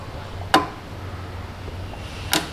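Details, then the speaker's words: 2018 Chevy Silverado with an engine light, an EVAP leak and a fuel pressure sensor fault: the EVAP vent valve is commanded on and off with a scan tool, giving two sharp, separate clicks over a low hum. Normal solenoid operation. "Okay, so that turns on and off."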